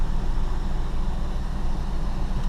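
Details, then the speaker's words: 2006 Dodge Dakota 4.7L single-plug V8 (aluminum heads) after spark plug replacement: low, smooth V8 idle rumble with no misfire stumble or shake; runs really smooth where the stick usually shakes. Normal idle. "oh it runs nice and smooth it runs really smooth usually the stick shakes a bit when it runs that's a good"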